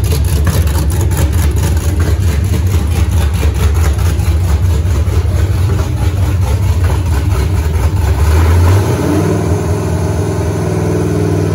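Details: Freshly rebuilt 5.3 LS V8 with open headers, TPS clocked for aftermarket 90mm throttle body: deep steady rumble, quick rev dropping cleanly back to settled idle; running healthy, minor return stumble expected tunable via IAC.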